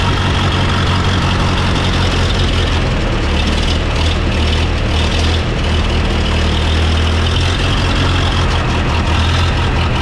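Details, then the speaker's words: 1929 Austin Heavy 12, 95-year-old engine running after adjustments, recorded without external microphones: deep steady even idle, no misses or stumbles, good oil pressure; vacuum fuel pump believed to be drawing from the tank, not misfiring. "he so we've got good oil pressure the smell is absolutely superb it sounds amazing so I thought we were going to have to abandon this for today but it's it's running"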